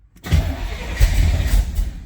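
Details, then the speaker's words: 1972 Corvette V8 after replacing the starter and battery cable: short strong cranking pulses catch quickly into a low running rumble; starter turns it cleanly, repair successful, though probably a little low on fuel. "It's probably a little empty, but that sounds very good, yes then this repair was successful"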